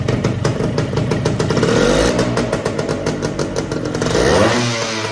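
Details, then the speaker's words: Suzuki TS185 barn find after sitting 25 to 30 years, first run: crisp, popping two-stroke revs on throttle blips and falls back cleanly; engine sounds tight and runs normally, needing only fine tuning. "Well, I'm going to call that a success. It sounds good. It's going to take a little bit of fine tuning, but the engine sounds tight. It sounds good."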